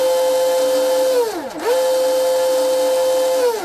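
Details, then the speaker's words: ARTR P Limited Spec H26 hydroplane RC boat, 5000 SRD motor, counterclockwise rotation, second spool-up after ESC calibration, new Teflon drive line not yet worn in: clean steady high whine dipping and climbing back, no cable whip or chatter; healthy drive line. "That sounds That sounds great. Couldn't ask for a better sounding drive line."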